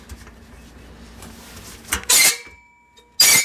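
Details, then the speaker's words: Roadside-found manual reel mower turned by hand on the bench gives two short, harsh metallic squeals, a horrible sound; the spring-loaded reel is rubbing against the bedknife. "it makes a horrible god-awful sound on there"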